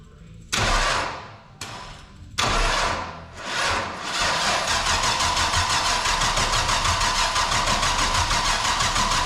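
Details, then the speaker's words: 454 big block in the Jap-Rod, first start on temporary fuel jug and hot-wired ignition: a few cranking bursts, then catches into a loud, even, lopey idle with no odd knocks; fresh big block running fine. "ready need a crank up or damn that was loud I wasn't ready for that one more"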